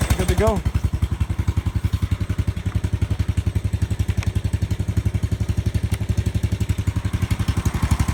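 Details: Riding lawn mower after starter solenoid replacement: small single-cylinder steadily thumping about three and a half beats a second, even and unbroken; running normally.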